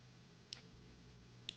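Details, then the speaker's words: New Taurus 66 Combat .357 Magnum revolver, cycled by hand to show correct function before a chamber starting to go out of time. Two crisp single clicks about a second apart as each chamber snaps into its notch. Normal cylinder lockup. "You can hear what it's actually supposed to sound like when it's cycling."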